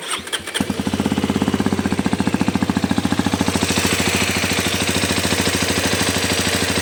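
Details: New Xpulse 210 engine catches and settles into a fast idle with a steady, even tapping running through it; engine knocking from inside the motor.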